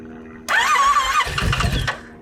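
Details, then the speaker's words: 2023 Yamaha RMAX side-by-side, first start in neutral after engine and transmission rebuild with fresh oil and coolant: cranks once, catches immediately, revs cleanly then settles to a smooth idle. Healthy normal start. "Man, that is awesome. Seatbelt light, that's it. We are turning. That sounds good."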